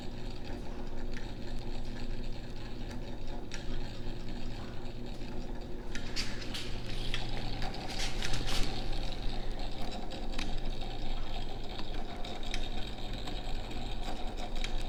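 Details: Vintage Signatrol primary mechanical neon sign flasher, contacts uncleaned: quiet steady whirr with light contact clicks cycling evenly; spinning and switching normally.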